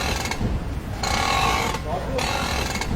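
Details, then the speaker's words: Car turning the steering: squeaky groaning bursts that come and go with each turn, pointing to a dry worn strut top mount bearing; steering also feels hard. "যখন আমি দিকনির্দেশনা দিয়ে ঘুরি তখন একটা চিৎকারের শব্দ হয়।"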